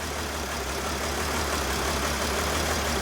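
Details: 2013 Mercedes Sprinter 3.0L diesel, code P0301: a lumpy idle with a dull recurring stumble in the clatter from the cylinder one misfire. No mechanical problem was found; the cylinder one injector is suspected of not spraying the correct fuel.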